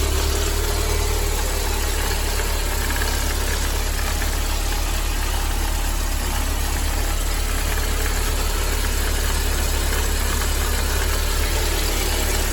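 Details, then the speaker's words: Mercedes-Benz 190E 2.0 (W201, M102) before repair: dull uneven rattle under steady idle from a worn-out belt tensioner; tensioner, damper, fittings and belt to be replaced. "El tensor de correa de este vehículo ha llegado al final de su vida útil. Escuchemos el sonido."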